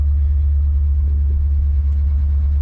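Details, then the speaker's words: Long-abandoned 1971/72 Ford Mustang V8 idling, no keys so no gears: deep, steady, unbroken rumble with no misses or knocks; idles smoothly. "just going to sit there and idle now because I don't have any Keys you know the steering column's locked so I can't I can't show you any gears"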